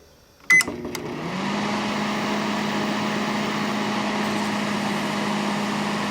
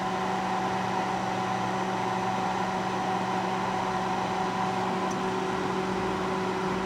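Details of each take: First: Panasonic inverter microwave after troubleshooting, running with a water load: a switch click, then a steady, even low hum with fan noise. Normal operation, already steaming. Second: Panasonic inverter microwave, an old first-generation inverter unit: powers up with a steady low hum and mid-pitched whine but no magnetron buzz, and it is not heating. Converter seems active; the magnetron filament is to be checked.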